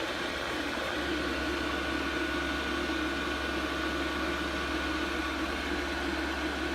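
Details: Chinese diesel air heater, previously faulty, bench tested with horizontally mounted dosing pump, some air still in the fuel line: even fan whir with a steady low hum, no surging, popping or rattle; running normally.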